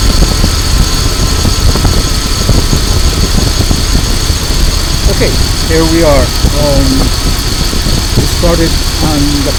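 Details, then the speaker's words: 2000 Dodge Durango 5.9L V8 after an ignition coil replacement for a no-start starts on the first try and settles into a smooth, even, steady idle with no misses or knocks. "Okay, so as you can see, it started on the first try"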